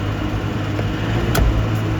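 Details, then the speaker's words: Fuel-injected VW LT31 tow truck started after 3-4 months sitting: steady low drone at fast, even cold-start high idle, no misses or knocks; normal. "Alright, that was just regular high idle."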